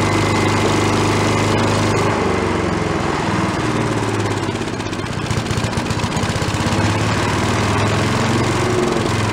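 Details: Late-1970s/early-1980s Giant Vac walk-behind leaf blower, bought worn from a garage sale, primed from a bottle: steady, busy two-stroke drone at full throttle without stumbling or surging; normal running. It has no idle circuit.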